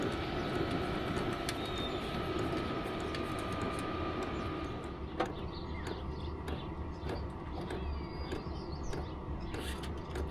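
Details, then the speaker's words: Vevor 5kW diesel heater after upgrading to a Wayska fuel pump and a quieter muffler; a soft, steady burner hum with faint pump ticks as output steps down from level 10 to level 1; much quieter than before. "Wow, it's a lot quieter. It comes with a remote, and it also has a Bluetooth app for your phone. That's a lot quieter than the other one."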